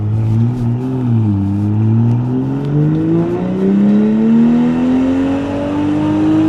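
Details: BMW X5 xDrive45e plug-in hybrid, stage 2 tune, OPF deleted, aftermarket valved cutout exhaust opened, comfort mode, not floored: loud, deep note climbing with revs, booming and droning at low rpm, better higher up; exhaust drone.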